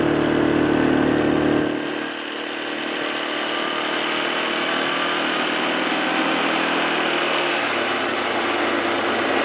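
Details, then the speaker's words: 2007 Arctic Cat 400 ATV after carburetor cleaning and spark plug replacement: single-cylinder settles from a higher rev into a steady, even idle, no misses or knocks; normal idle. "We got it up and running. We did what we were supposed to do. It's back in business."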